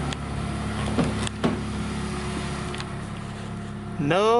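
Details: 2019+ 4th-gen Mazda 3 non-turbo after aFe Takeda Momentum cold air intake install (Pro DRY S filter): cold start, engine catches and settles into steady hum with rising tone; normal clean start.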